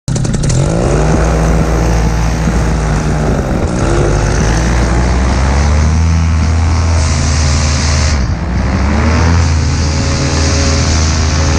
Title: AC nitro 200 buzzing noise